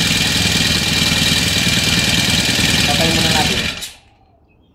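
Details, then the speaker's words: New grass cutter, used three times, after the dead spark plug was replaced: the small two-stroke starts on one pull and buzzes evenly at fast idle for about four seconds, then is switched off. It runs cleanly, confirming the plug was the fault. "So one stick mga kaamig umandar siya agad. Ibig sabihin ito yung sira niya spatay"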